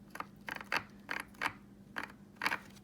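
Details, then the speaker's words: Traxxas X-Maxx front differential with Hot Racing cover, hand-turned with driveshaft removed: uneven gritty clicks and scrapes about twice a second, locking tight at spots then forced past; owner suspects cover sits too deep, leaving no room; binding differential gears. "is this thing is really really tight [Applause] it locks up right there it's literally locked and then I can force it past it and right there it's locked up again"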